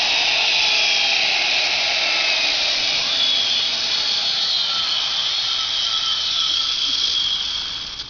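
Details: Precise CNC router spindle (45,000 RPM, 1/2 HP, 5.6 A): a smooth, steady, very high-pitched whine with no roughness or rattle. It spins up cleanly and runs healthy.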